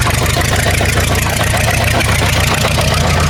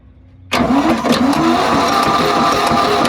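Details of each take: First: War Department roustabout crane on an International tractor, unrun for 35 years, running on its own diesel despite an injector line leak. Even, steady low chugging with a regular firing beat and no misses or knocks; runs smoothly. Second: Old machine left in woods for 35 years, fitted with a replacement Ford engine, cranked on a starter motor: slow, heavy, uneven cranking around three turns a second, labouring each stroke; fluid in cylinders causing hydraulic lock.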